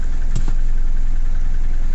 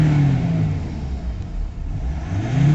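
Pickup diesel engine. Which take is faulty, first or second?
first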